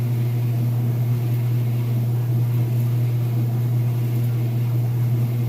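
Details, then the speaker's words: Whirlpool washer on its spin, after draining. A steady low hum holds one even pitch with no knocking or wobble; the machine is level and the drum spins smoothly at full speed, normally. "And it should be just about full speed there. You can see, nice and level, sounds great. Nice smooth operation."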